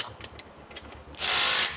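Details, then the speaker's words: T5 manual gearbox out of a Mustang for a V6 to V8 conversion, tail housing removed, possibly run without fluid: turning the shafts by hand gives rapid, uneven clicking and gritty catching, something loose inside, suggesting internal damage. "There's something I'm really not liking, guys. When we move this around, you guys hear that? It's not, why does it sound like that? It sounds like there's something loose in there."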